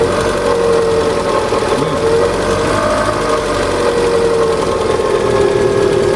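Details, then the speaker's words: Cold idle with a fast, light tapping from up top over the engine hum, lasting until it warms to 70 degrees; piston knock judged unlikely, hydraulic lifters suspected but not confirmed. "Вот цоканье такое, понимаешь, как будто сверху где-то. Ну вот как он, видишь, ему сказал. Вот здесь цокает где-то, да?"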